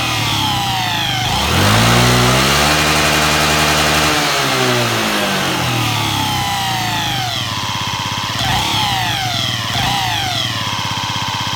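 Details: Yamaha Jog ZR (SA36J/SA39J) scooter, accident bike with about 9,000 km, before repair: the two-stroke revs up and down with a rough, rattly rasp throughout; abnormal engine noise, cause unclear.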